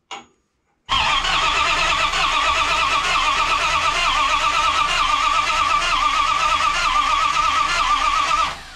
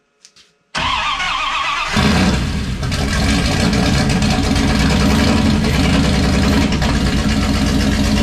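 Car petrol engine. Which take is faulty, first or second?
first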